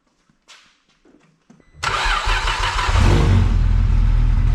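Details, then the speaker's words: Vauxhall VXR project car after engine install, pipe refitted: a few seconds of cranking, then it catches cleanly and settles into a steady, even idle with no misses; running nicely now, healthy. "So she's all running nicely now."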